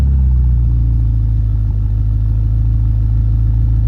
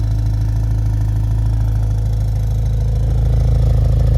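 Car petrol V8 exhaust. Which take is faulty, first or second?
second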